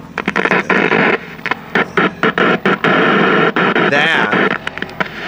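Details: 1968 RCA Victor KCS160 black-and-white remote tube TV: harsh crackly static bursts cutting in and out over the sound; source not pinned down.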